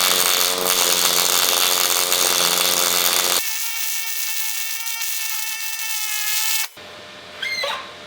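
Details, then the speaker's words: HTP Pro Pulse 200 welder in pulse mode with 90/10 gas: a steady, loud crackling hiss with fast, even buzzing pulses and no erratic pops or sputter. Smooth, almost spatter-free pulse MIG arc. "Okay, so right away you can hear the difference of it coming out of the gun. It sounds like a lot of popping and cracking."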